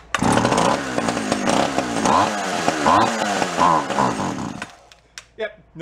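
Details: Free Echo CS-400 two-stroke chainsaw, primed with the fuel tank pressurized: buzzes unevenly for a few seconds, then cuts out; runs only on prime, fuel lines or carb suspected.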